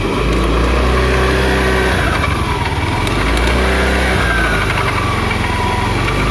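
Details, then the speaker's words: Honda Beat FI (first injection version) scooter running with a loose, marble-like rattle from the CVT; cover CVT bearing found tilted on teardown. "terdengar bunyi seperti kelereng terletak tetep biasanya untuk penyakit terdapat di bagian cover CVT ini biasanya untuk bearingnya udah aus"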